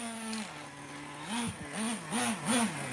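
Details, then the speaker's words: Traxxas T-Maxx Classic 2.5 nitro, running in reverse and forward: small high-pitched engine blipping up cleanly in short bursts and settling back to an even idle; runs smoothly, normal running. "It seems to run beautiful now."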